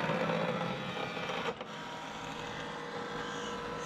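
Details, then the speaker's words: HP LaserJet Pro MFP M428dw copying a document: busy, uneven whirring and rubbing from the rollers during the paper feed. A load-paper-in-tray error follows, then a paper jam reported in the cartridge area. Cause not confirmed. "It's copying. You realize that it gives some weird sound with the rollers."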